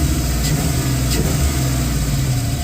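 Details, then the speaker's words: Chevy Caprice engine after swapping the factory ECM for ACES fuel injection with some parameters changed, running about 30 minutes: smooth, even low idle with no surges or stumbles, and the earlier intermittent noise is gone. "We've been running for about 30 minutes, and guess what's not happening? That noise. That noise."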